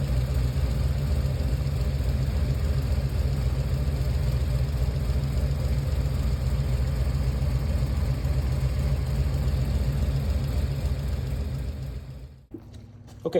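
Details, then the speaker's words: Chevy Nova found running on only seven cylinders during a test drive: deep, lumpy idle with an uneven exhaust pulse, one cylinder not firing; cylinder two then checked with a noid light, spark and compression (about 200). "let's take it for a test drive and found that it was only run on seven cylinders sound kind of weird"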